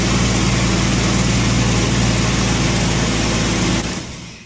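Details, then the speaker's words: 1990 Jeep Wrangler 4.2L inline-six automatic, just after replacing a tired, intermittently screeching starter with a remanufactured unit: fast, even whirring crank about four turns a second, then drops away; starter spins engine steadily, no screech. "only thing left to do really now is start it up sounds mean like it works okay"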